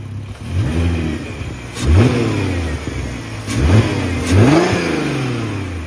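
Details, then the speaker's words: VW/Audi 3.2 V6 R32 donor engine, 155k miles, still cold, given three quick revs from idle: pitch climbs and falls cleanly, even note, no clatter or misfire; healthy. "It sounds absolutely amazing. And I think it's possibly the first purchase that I've bought that runs and drives properly. I'm going to give it a couple of revs."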